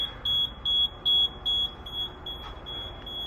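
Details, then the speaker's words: Fire alarm panel during sprinkler valve exercising with two valves turned: steady high beep about two and a half times a second, then silenced when acknowledged; supervisory signal. "so usually I hear the beeping right now you hear it I hear it now I just acknowledge it"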